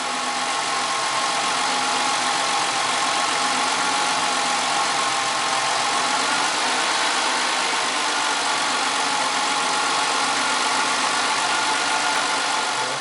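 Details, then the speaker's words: 1998 Ford Contour, 2.5L V6, 165,000 miles, code P0401 EGR flow insufficient: idle stays smooth and unchanged with no dip when the EGR valve is opened by vacuum; little exhaust gas getting through, owner suspects a clogged EGR port. "It's not stumbling. I'm guessing that I might have a clogged EGR port."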